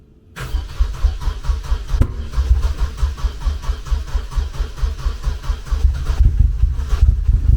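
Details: First start in nearly two years after work awaiting a machined manifold, microphone at the exhaust: rough uneven firing, surging low thumps, stumbling before settling into a ragged fast run; hard start.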